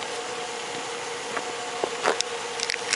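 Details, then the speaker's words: 2005 Jeep Grand Cherokee 4x4 with Quadra-Drive II: quiet idle, then one dull creaking clunk about two seconds in as drive engages; occurs only when shifting into Drive, source not pinned down. "Alright guys, this is the clunking I'm having. Only when I shift to drive."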